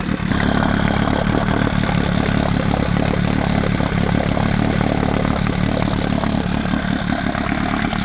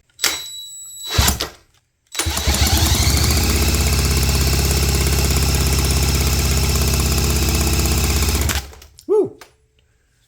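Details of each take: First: 1972 Johnson 9.5 two-stroke outboard, roadside find, fuel mix heavy on oil; blubbery, uneven burble around four pulses a second with a loping beat: running rich, with an unexplained misfire. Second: 1972 Johnson Seahorse 9.5 hp two-stroke outboard, wet compression test: even, strong cranking thumps about three a second with no stumbles; about 90 PSI, adequate to run.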